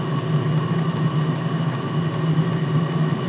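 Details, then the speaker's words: All-in-one 12V/24V/240V diesel heater running on 12V/24V, lit, housing reaching 55°C. Even low fan and burner hum with a steady roar, no misfire or sputter; heater running normally. "that's because that is bizarre running 12 and 24 man"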